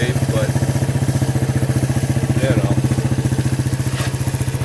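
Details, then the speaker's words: Suzuki quad (ATV): fast, regular metallic rattle, about four a second, over the engine note; owner first suspects a dry, bouncing chain, then a roller, but finds the front sprocket worn down and broken, needing replacement. "almost sounds like loose rattling metal I think it's this chain bouncing around and it's really dry so we're going to try moving it up the sprockets there it's not terrible shape"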